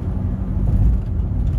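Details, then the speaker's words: Ford Focus SVT with new front shock/strut assemblies, driven over the same bumps that previously bottomed out and scraped: low road thumps with no bottoming knock or scraping; front suspension now quiet. "Nothing! I love it."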